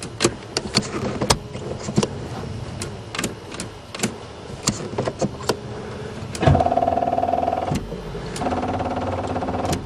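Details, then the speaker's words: Buick Regal first start attempt in spring after winter storage with a freshly installed battery: scattered sharp clicks then a short strained starter whir that never catches; that battery is too weak to crank. "see what happens oh that bad batteries well now I know which batteries survive the winner it ain't this"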